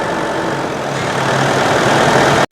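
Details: Mitsubishi Pajero diesel, reassembled after a shop repair for engine shaking, started and ready for delivery. Even diesel idle with a steady low clatter and no knocks or belt noise: normal idle.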